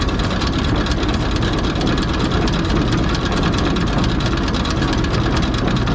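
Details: Tractor driving a New Holland 489 haybine after a bearing replacement: a steady, even rumble with a constant low drone and no knocks, squeal or grinding; the haybine is running normally after the repair.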